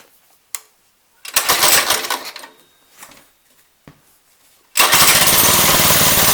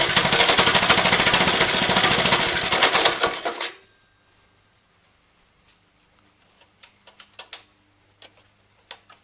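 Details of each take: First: Lifan 2.5 hp go-kart engine after fitting a replacement carburetor (original leaked fuel): a few pulls and stumbles, then catches and holds a steady even buzz; running properly. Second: Lifan 2.5 hp single-cylinder go-kart engine, started with starting fluid: rattly run for a few seconds, dies with pull-cord clicks, then restarts; it wouldn't keep running because the choke was flipped the wrong way, now set off.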